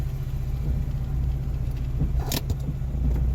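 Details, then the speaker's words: Geo Metro engine just rebuilt in place (honed, re-ringed, rebuilt head, new rod bearings), first start, cold; cranks right up and holds a steady fast idle with even low drone, higher than normal, possibly from cold start; later idled down. "Man, cranks right up and sounds good. Still does have a high idle. I don't know if it's because of cold start or what the deal is."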